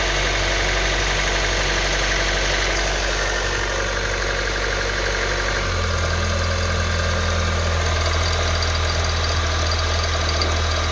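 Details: 2012 Honda Civic EX 1.8L automatic at idle: note drops to a heavier hum with faint rattle and vibration once shifted into reverse; owner wonders if the serpentine belt is the cause, unconfirmed.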